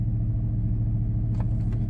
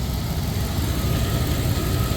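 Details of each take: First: 1999 Dodge Durango SLT, sat since 2009, idling at about 1500–1600 rpm after a highway drive and restart: steady, even hum well above normal idle with no dip or hunting; throttle not stuck, high idle. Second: 1999 Dodge Durango SLT after sitting 14 years, with a new idle air control valve and a forgotten vacuum leak fixed: steady, even low idle rumble with no hiss, stumble or hunting; normal idle.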